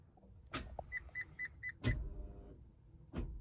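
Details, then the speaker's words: Fiat Idea Dualogic automated manual (same as Lancia Musa) after clutch change and hydraulic work, end-of-line calibration via diagnostics with brake pressed: sharp clunks about a second apart with short high beeps from the front as the actuator cycles. "Hit the old execute. And I can hear the odd sound being made from the front."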